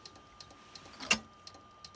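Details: Compaq desktop PC showing blue or black screens: faint, crisp ticks about three per second over a thin steady tone; the clicking is suspected to come from the hard drive, not confirmed.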